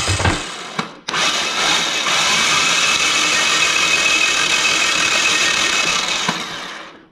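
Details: Yanmar two-cylinder diesel from a microcar, head recently off, injection pump fed from a can: harsh, whirring crank for about five seconds at steady speed, never firing; no fuel at the injectors, owner suspects a seized injection pump.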